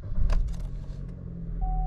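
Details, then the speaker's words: 2012 Chevy Cruze, 150,252 miles, warm after a 40-mile first drive: catches right away, settles to a soft, even low rumble with a steady chime; check engine light goes out; clean normal start. "Starts right up. Check engine light went out. So, it all seems well."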